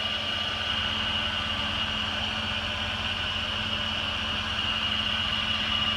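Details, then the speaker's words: 2002 Jeep Grand Cherokee 4.7 H.O. V8 idling from a cold start, heard at the engine: steady even idle with smooth hum and fan rush, no weird ticking or vibrations; motor runs really nice. Owner notes it burns a little oil. "here no weird ticking or vibrations or anything like that motor runs really really nice and"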